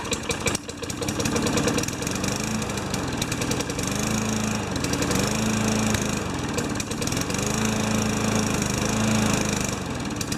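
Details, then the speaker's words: Junkyard 5HP Tecumseh mower engine: weak uneven putter surging and sagging, barely running; not much compression, runs "sort of". "s or it gets my arm yank off huh doesn't have much compression"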